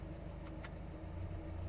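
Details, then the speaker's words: Miata idling with AC switched on after throttle body cleaned of blocking debris, previously stalled at idle with AC: steady low hum dips slightly under AC load but doesn't drop to zero; idle stable, engine not yet fully warm. "and it went down a little bit but it didn't go down to zero oh this is good this is awesome"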